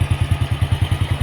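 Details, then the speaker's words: 28-year-old Honda Astrea collector motorcycle with an old, weak battery, started on the double starter, which sounded heavy: a steady, even low thump of about eight beats a second with no knocks or rattles; normal idle. "Oke kuat ternyata. Oke jadi suaranya begini."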